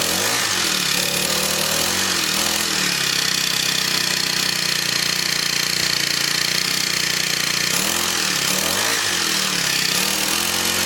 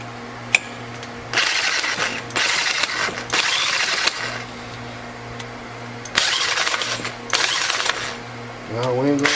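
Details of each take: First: Scrapped Craftsman four-stroke weed eater runs at a steady fast buzz with slight swells, no misses or knocks, spark plug still to be tightened; normal running. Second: Scrapped Craftsman four-stroke weed eater with a broken pull start, cranked with an electric drill on the starter: bursts of fast whirring cranking with no firing pops or catching; cranks but won't start, cause unconfirmed.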